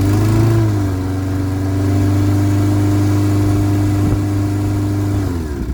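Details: Lawnmower with Kohler engine, after bad gas, choke work and fuel shut-off added: small single-cylinder engine runs steady and even at constant pitch, then winds down; sounds healthy.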